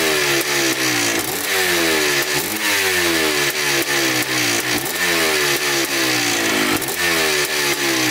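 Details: 1987 Yamaha YZ 490 two-stroke after carburettor rework for bogging, warmed up: crisp ring-ding idle with repeated quick blips that rise and fall cleanly, with no bogging or misfire. The air screw is at 2¼ turns out, in spec.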